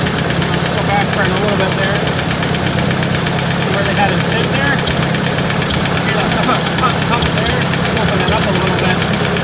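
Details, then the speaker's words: Engine running with a sharp banging knock about three per second, sounding high up on the engine; owner suspects valve tap, probably out of spec. "Hear that banging over here. Sounds like it's higher like a valve. So yeah, I don't particularly like that."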